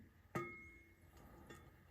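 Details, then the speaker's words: Quick-change rear end for a roadster, 9-inch Torino ends: the carrier set into the housing gives sharp metallic pings with a bell-like ring striking the reinforcement ribs; fix is grinding a little off the ribs. "Now listen. All right. So, you can hear it pinging"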